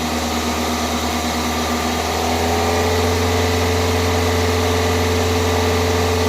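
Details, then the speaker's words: 2002 Toyota Corolla just fitted with new coil packs, spark plugs and a cold air intake: a slightly lumpy idle of about four pulses a second that smooths and grows quieter after a couple of revs while warming up. Rough idle. "okay let's see okay R let me try to warm her up some better idle kind of hot"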